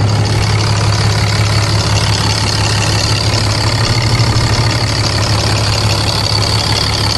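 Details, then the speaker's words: 2012 6.7L Cummins diesel, first start after intake grid heater delete and intake horn install: deep steady diesel clatter at even idle, no misses or knocks; normal idle. "All right, you guys. Sounds pretty good. Sounds good."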